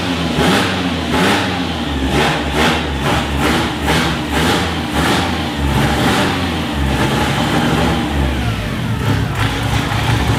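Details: Mercedes M111 turbo engine, first start after correcting swapped fuel feed and return lines on the fuel rail: catches and settles into a steady run with a few clean throttle blips; no misfire or stumble, running properly.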